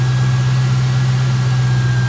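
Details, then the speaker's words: 1996-98 Ford Mustang V8 just fitted with new C&L Blue Lightning high-output ignition coils: instant quick start, then steady even idle with a smooth low rumble, no misses, knocks or stumbles; normal idle. "there you go that was an instant start that was a nice start that was a quick start actually"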